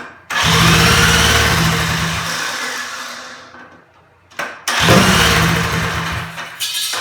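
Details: Small kart engine slated for the rebuilt Dingo, fuel system initially dry, started with a starter box, with torque converter; catches and runs a high busy buzz, winds down, then fires again cleanly; sounds healthy.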